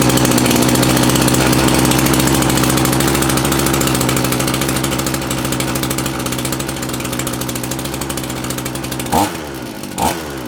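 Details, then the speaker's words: Handy 38cc petrol two-stroke chainsaw, donated as non-running, started on half choke with chain brake on: busy buzz holds steady several seconds, then eases off and cuts out; saw starts and runs fine. "I'll have to say dude you sure you gave me the right one because this bloody works"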